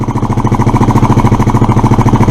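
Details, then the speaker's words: Suzuki Address scooter, after unblocking fuel valve, running without air filter: fast even single-cylinder putter about eleven pulses a second; idle probably set slightly too high, cause suspected, not confirmed. "I've probably got the idle set a little too high but unless you put an electronic attacker graph on the HT wires you can't tell"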